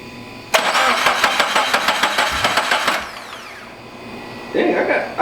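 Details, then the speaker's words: Turbocharged FRS after turbo install, fuel pump relay pulled: starter cranking about three pulses a second for roughly 2.5 seconds, engine not firing, priming oil to the turbo before first start. "all right so fuel pump relay is pulled i'm gonna turn it over three or four times for about three to five seconds get some oil flowing through here"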